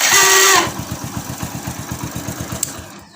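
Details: Hero HF Deluxe motorcycle self-start: harsh high whirring grind from the starter motor in the first half second, then engine catches and idles evenly; starter found dry inside, to be cleaned and greased.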